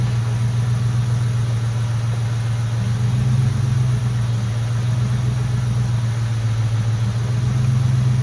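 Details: Mustang GT at idle after the power steering air bubble was fixed and the heater core was bypassed: a steady, low rumble with an even beat; the pump whine is basically gone. Normal idle.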